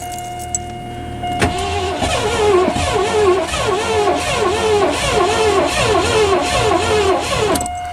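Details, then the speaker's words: 1984 Lincoln Continental cranked after sitting all winter: starter drags the engine sluggishly at under two compression strokes a second; battery too low, jump-start needed. "She's a little low, so stay with us, and we'll get the car over here and put some jumper cables on and see if it will light up."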